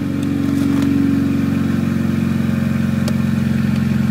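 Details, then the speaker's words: Nissan Silvia S13 SR20DET, first startup after engine mods and reinstall, cold at 15° water temperature, with a squeaky alternator: loud, raspy exhaust over a steady, even idle pulse with no knocks or misses. Normal cold idle. "it's very loud so I'm going to be annoying my neighbors like [Applause] hell yeah like I said it's loud but it sounds"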